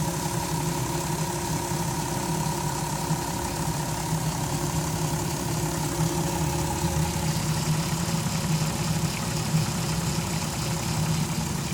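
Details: 2002 VW Jetta V6 petrol, 158k miles, idling after crank position sensor replaced for P0322/P0321 codes, no other codes: fast, uneven low flutter with a faint, slow steady whine above.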